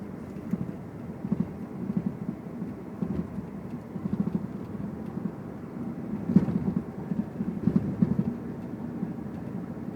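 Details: 2001 Infiniti I30 driving: irregular dull knocks from the right front wheel area, begun after the front and rear engine mounts were replaced. Strut, sway bar bushings, ball joint or right-side engine mount are suspected; the cause is unknown.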